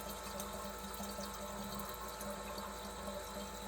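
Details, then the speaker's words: Fuel pump on an FCR 37-carb racing bike circulating pure kerosene through the system and back via the return line to the tank, flushing methanol out. Steady low hum with liquid rushing and gurgling, even and unbroken: normal pump operation. "there we go it's just uh sucking the fuel up it's just pushing the fuel back out this is now pure kerosene on through my system"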